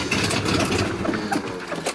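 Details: Mercedes-Benz W123 250 gasoline limousine, gas poured into the carburetor to prime: engine catches, runs rough a couple of seconds, then sags and dies once priming is used; owner suspects a failed fuel pump and carburetor needing rebuild, sucking air.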